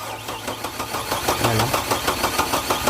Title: HARD STARTING/LONG CRANKING/HOW TO DIAGNOSE WITHOUT SCANNER/BASIC INFORMATION